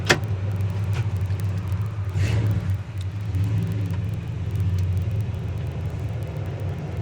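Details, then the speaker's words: Restored 1967 Chevrolet Chevelle SS, 396 four-barrel replacement block, 4-speed, dual exhaust, at idle: deep, smooth, even rumble with no knocks, rattles or hunting; tight, not squeaky or rattly, idle beautiful. ">> Idle's good too, don't it? >> Yeah, it does. It's just one of those tight cars, you know? It's not squeaky, rattly, idle's beautiful."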